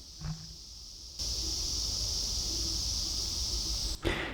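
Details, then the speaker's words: Apple AirPods Pro held to the microphone: loud, steady high-pitched static hiss with handling bumps; right bud hisses, left crackles, and the noise disappears when transparency or noise cancellation is turned off. "If I put these in now, you will hopefully hear the huge hiss. So I'm just putting my ear up to the microphone."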